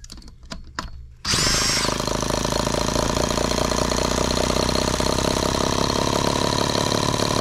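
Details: Microcosm H76 twin-cylinder model engine after valve lapping and new rings, run without water hopper: quick start then high, buzzy, even run at steady speed, firing cleanly on both cylinders.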